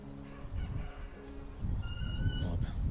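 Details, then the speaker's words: Wind generator on its mast turning on a windless day gives thin, high squeaks that come and go over a low rumble; source not yet found, so the owner will short it with a switch, climb up and remove the rotor to look. "Писк, писк, писк такий. Зараз закорчу його, залізу, відкручу винт і подивлюсь, що там може пищати."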